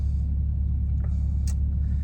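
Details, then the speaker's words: Hotshot diesel truck after power loss, batteries drained, suspected loose alternator wire, two new batteries fitted: steady deep diesel idle, even beat, no misses or rattles; voltage dips under AC/light load then recovers. "i don't know if you can hear it but the truck's sitting here idling now i'm not gonna shut it off"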